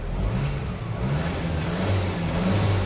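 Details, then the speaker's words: 1994 Toyota Hilux Surf 1KZ diesel, first start in weeks after viscous fan hub and 10-blade fan upgrade for overheating, started first try: settles into steady, even low rumble, no knocks or misses; sounds healthy. "Sounds pretty good."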